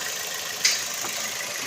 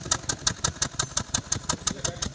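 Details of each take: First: Toyota NZE engine after replacing faulty ignition coil found by swapping coils (P0300 misfire): steady even idle with no stumble or shake; normal idle. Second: Toyota NZE petrol engine, code P0300, idling: uneven idle with a regular stumble and shaking; misfire traced to a failing ignition coil by unplugging coils one at a time, then fixed by replacing the coil.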